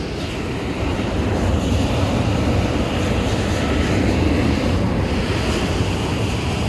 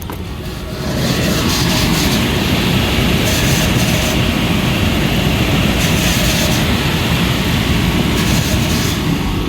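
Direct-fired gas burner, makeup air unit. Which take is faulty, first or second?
second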